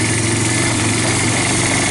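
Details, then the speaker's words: Yamaha Bear Tracker 250 (YTM250) ATV with new intake, carburetor and battery, riding in second gear, earlier sounded a little rich; even, steady single-cylinder drone with no knocks, ticks or rattles; normal running. "I don't have any any bad noises"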